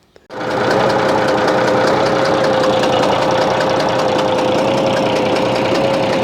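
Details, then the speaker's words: Bizon A-01 diesel at idle: light, fairly regular tick or snort about four times a second over a steady hum, changing when the third high-pressure injector line is loosened; owner suspects the first head must come off, cause unconfirmed. "привет всем ребята не хорошая штука случилось с нашим бизоном в частности своего мотором появился какой-то подозрительный шум то ли фырканье то ли непонятно что реагирует на откручивание 3 трубки высокого давления"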